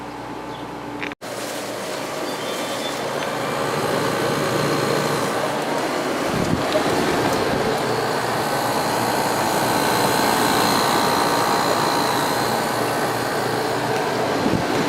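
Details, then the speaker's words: Sharp 10,500 BTU air conditioner, recorded from outside: steady even compressor hum with fan rush, no rattles or clunks; compressor running normally. "now we got our compressor running so I'll take the camera outside and we'll listen to it from out there here"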